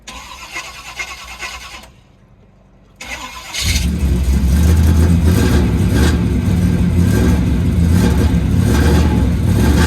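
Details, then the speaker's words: 1984 Pontiac Firebird V8, cold start in snow, mechanical fuel pump primed through 20 ft fuel hose: catches after brief lull, then lumpy uneven idle wavering near stalling; rough cold idle. "She's not happy. Oh, wait a minute. She don't like the cold at all, man. She's idling though."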